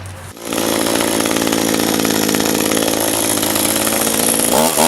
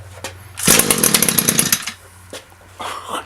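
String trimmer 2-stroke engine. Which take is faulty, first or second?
first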